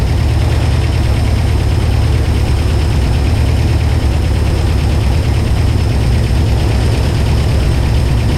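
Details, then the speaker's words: 1978 IH Scout II V8 after carburetor rebuild, first start since 1999 on a rigged fuel system, fired right up; deep, steady low rumble at even idle, no stumble or knock; normal idle. "Well, guys, as you can hear, it pretty much actually just fired right up, which is didn't even awesome, you know."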